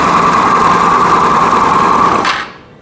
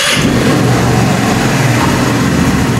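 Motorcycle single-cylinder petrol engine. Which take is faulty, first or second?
first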